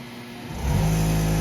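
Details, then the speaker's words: Compressor motor started from a Victron system with 10 kW EG4 LL battery bank, one battery switched off: spins up in about half a second to a steady even hum, no stalling or struggling; battery surge capacity is enough, clean start. "yes we can we have enough battery capacity that we can start the compressor that works okay"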